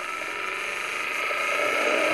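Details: Knock sensor signal played back into a knock analyser: smooth, even high-pitched engine wash with no pinging or ticks, normal boost; clean running, no detonation.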